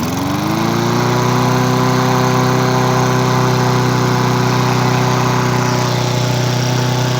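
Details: Discarded lawn mower, running after the water-contaminated gas was replaced with fresh gas: the small engine catches and settles into a steady, even buzz with no misses or surging; running cleanly.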